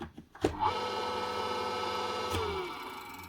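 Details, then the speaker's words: ShowFou submersible dirty-water pump, run briefly after replacing its broken power cable: motor spins up to a steady, even whir with clean high hum for a few seconds, then winds down; healthy pump. "runs not so bad obviously it's a water pump so don't actually run them for too long few seconds is okay"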